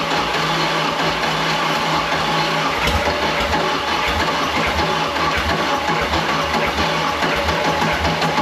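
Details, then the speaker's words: Mercruiser 3.0 L that had been very stuck, now reassembled with the gasket back in and running after being flooded: rough, lumpy idle with a raspy hiss; owner suspects a manifold leak and says it is definitely down on a cylinder. "sounds like a little bit of a manifold leak I don't know why definitely down on a cylinder"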